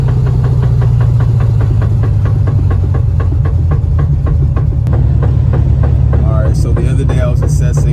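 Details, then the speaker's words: Lowered Valiant: steady knock about three per second under load from the front end; absent at startup and when revved in neutral, so engine knock ruled out; source not yet found. "I ruled out engine knock, so hopefully this sound doesn't come from the engine, and I ruled it out because of a few things that I tried."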